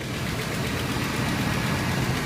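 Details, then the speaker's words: 1992 Buick Roadmaster wagon 5.7 V8, 195,000 miles, warm idle: steady low rumble with faint quick tick and chugging, worse driving under load; owner suspects exhaust leak, unconfirmed; good oil pressure. "e driving the car you know and of course it has a load on the engine the ticking the chugging sound is just so apparent and it's awful at driving"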